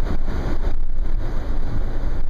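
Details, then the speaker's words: 2010 Nissan Murano LE with sunroof open, recorded under the sunroof at about 40 mph: deep steady rushing roar with low buffeting, no mechanical rhythm; wind noise becoming obnoxious. "And it's approaching a little obnoxious at 40 miles an hour."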